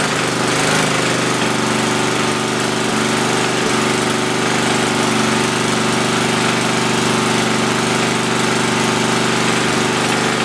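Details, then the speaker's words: Tecumseh 10 HP single-cylinder engine after rebuild, first run with new bolt and Teflon on a stripped fitting: steady slow low-pitched drone that never picks up, running well under governed speed before being adjusted up; low engine speed. "well that's good news um it runs it's completely low on engine speed i'm gonna crank it up a little bit and bring you back"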